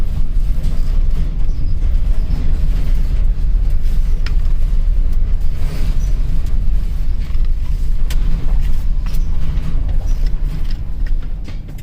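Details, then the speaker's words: 2007 Chevrolet Express 3500 6.0L, after replacing flexplate, spacer, torque converter and missing dowel pin that caused a knock: steady low rumble while reversing, smooth with no knock or tapping, some body creaks; normal running. "let's see let's back this up there we go up here we go no more knocking hope you guys like it"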